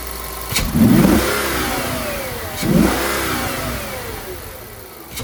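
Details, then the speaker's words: Audi D3 S8 V10 after misfire and oil leak repair (valve cover gaskets, coil packs, plugs), on the road: two quick throttle pulls, revs climb and fall smoothly with no stumble or popping; shifting slightly erratic after battery disconnect, throttle response good. "It's shifting a little bit erratic, but I mean, I disconnected the battery and moved a lot of stuff around. So, >> the throttle response honestly feels so good."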